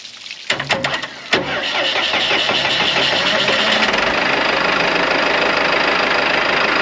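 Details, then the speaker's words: Morbark 2400XL track chipper's 4BT diesel, bought at auction sight unseen, after bridging with a bolt to let it get fuel: a few cranking bursts, then it catches and settles into a steady, even diesel rattle at idle; it starts and runs fine. "She wants to start now. That's it."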